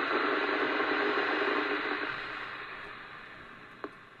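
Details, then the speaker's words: Cheap RF signal generator (DC to 2.2 GHz) heard on a radio after repair of suspected damage from accidental transmitting: hiss steps down smoothly as output is lowered past -101 dB with no drop-out, slight pop remains near 101–102 dB; normal output level. "excellent so yeah we've not got the strangeness around 101 um DB again it's moving up and down as it should"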